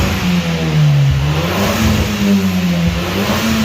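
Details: Audi TT with aftermarket exhaust, bonnet open: smooth even throttle blips over a steady exhaust note, no misses or knocks; sounds good, though owner says it hesitates at high revs and hard acceleration, suspecting fuel delivery or spark issue.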